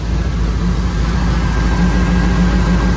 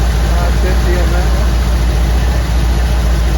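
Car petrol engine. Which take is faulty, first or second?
second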